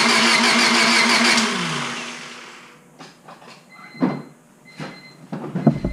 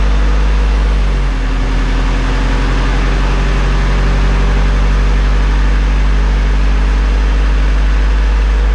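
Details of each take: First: Honda Civic Si after rebuild, distributor and valve cover installed: starter cranks about two seconds with steady whir, never catches; no spark, about 0.2 volts measured at the igniter module while cranking. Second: Rebuilt Honda Civic Si after a new ignition coil, not yet filled with coolant. It starts instantly with a deep, even idle that runs a little rough at first then smooths out; normal idle.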